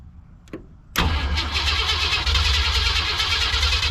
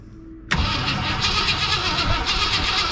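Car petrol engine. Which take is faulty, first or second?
second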